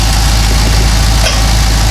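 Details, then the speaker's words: Cadillac CTS-V LS V8 with long-tube headers and a broken rear header bolt, exhaust leak sealed with a clamp bracket tightened while running: a steady, even idle with a smooth low rumble and no ticking. The leak is gone. "Yeah, it sounds good now. So there you go."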